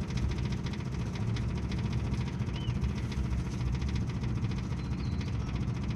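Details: 1958 Ford F100 panel truck, plugs cleaned, carburetor cleaned, carb cleaner used to start, fresh fuel from new tank: low, lumpy, stumbling idle, not firing every cylinder; misfire traced to ignition points, which were replaced.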